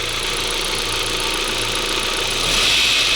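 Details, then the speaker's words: 1998 Volkswagen Passat B5, about 480,000 km, idle on first start after oil change with Polytron added: fast light metallic rattle from front of engine, timing chain area; owner hopes it may disappear after driving. "чуєте цей звук ну покатаюсь подивлюся можливо пропаде зовсім"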